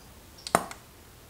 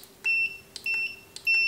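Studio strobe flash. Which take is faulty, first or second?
second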